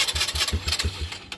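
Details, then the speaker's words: 2018 Polaris Phoenix 200 ATV, bought new, stalling: weak, uneven firing chuffs for about a second then dies; wants to start but keeps stalling, dealer found incorrect carburetor needle clip position. "want to sounds like it wants to start just keeps on stalling out"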